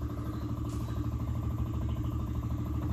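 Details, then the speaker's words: 1966 MG MGB, stored a long time, battery at 12.2 V: with the key on and the engine not cranking, a steady fast ticking hum. The electric fuel pump is priming and running normally before the choke is pulled. "fuel pump's running pull the choke out"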